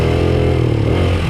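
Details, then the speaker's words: 1995 Honda XR80R 80cc kids dirt bike with an undersized main jet: idle fine, but from about half throttle up on a 100-yard run the engine note stays flat and sags, dying as if out of gas; bog from the small main jet. "What's gonna happen is as the throttles get high, sort of half throttle and up, you'll hear that the bike just kind of dies, like it's running out of gas."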